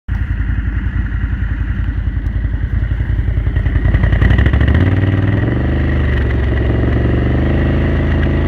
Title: Renegade 1000 pop, misfire at cruise